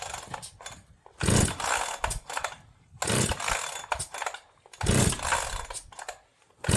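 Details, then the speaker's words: Holzfforma G372XP chainsaw, several tanks into break-in, started cold after sitting outside: revs in bursts, then a faint tinny rattle just off throttle; owner doubts piston, suspects clutch or something else, running unaffected. "I don't know if you heard it, but this one had just come off the throttle. Frequency wise, it could be piston, but I don't think so. I think it's something else."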